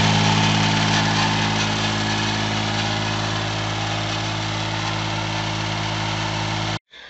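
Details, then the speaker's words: Kubota B1400 4WD compact diesel tractor idling to warm up engine and oil before restart: steady fast even clatter, about four beats per second, smooth until shut off; normal healthy idle. "Là, si vous entendez le moteur, c'est parce que je fais chauffer en pendant que je parle le tracteur pour pouvoir le redémarrer sans problème après, et puis pour faire chauffer l'huile, etc. Pour tout faire chauffer."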